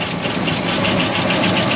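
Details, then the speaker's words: 1969 Buick Wildcat V8, barn-stored 26 years since 1998, idling after revival with oil pumping strong to the valvetrain: fast, busy ticking over a rough idle plus a pulsing metallic fender rattle; the lifters are still quieting. "look at all of that dude oils pumping strong down on the valve train it's those lifters are quiting and way up the fender rattles quiting it up"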